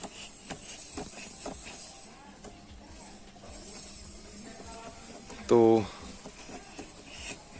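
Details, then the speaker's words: Pulsar 150 BS6 motorcycle front wheel spun by hand: faint light scrape ticking about twice a second; owner suspects the front brake disc plate is touching and shows score lines on it. Cause not confirmed. "ऐसा लग रहा है कि हमारे जो यह जो disc plate है इसमें कुछ टच हो रहा है"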